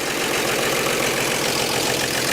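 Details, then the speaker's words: Revived 1948 Chevy inline petrol engine idled down, run briefly with no coolant or radiator hooked up: steady, even idle with a fine busy patter and no knocks or misses, running like a sewing machine. "but there you go running good like a sewing machine sounds good sounds good"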